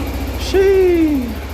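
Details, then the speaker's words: 2007-2016 Suzuki Burgman 400 scooter just after reinstalling the fuel pump assembly, injector not yet cleaned, engine not yet warm. Low, even idle pulse, not fluctuating, very clean. Normal idle. "Actually, that's probably the best idle it's ever had. That sounds really clean. It's like not even fluctuating."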